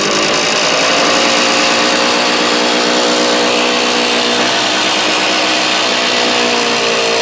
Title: стук в двигателе явы